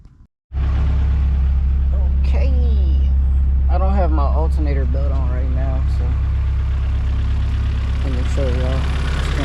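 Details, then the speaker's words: G23/H2B hybrid engine with K-series manifold, later start-up: lumpy, uneven idle with a wavering low drone and occasional loping beats; owner says it always sounds rough like this and usually clears up, cause unknown. "on it sounds rough kind of always sounded rough like this it usually clears up I don't know why it sounds like that but it does"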